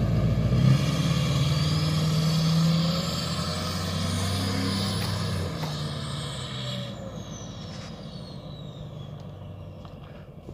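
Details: 2007 Duramax LBZ diesel, tuned, SDP deleted, MBRP 4" exhaust, after replacing up-pipe gaskets: revs up and settles with an even, steady beat, no hiss or whoosh of escaping boost; runs normally.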